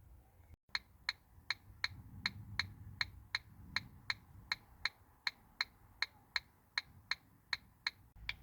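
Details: Ford Focus Mk1 indicator: crisp, even ticks about eighty a minute, soft and high-pitched, from an electronic flasher relay/beeper; owner assumes it is a little worn, sounding different from the new one.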